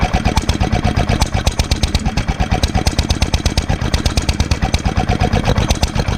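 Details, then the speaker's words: 1946 International Harvester LB hit-and-miss gasoline engine, freshly rebuilt, cold start on choke, running at low speed; evenly spaced firing pops about three a second, no knocks or rattles: normal low-speed running. "cold may need a little more gas it's r at low speed right now so I'm going to speed it up"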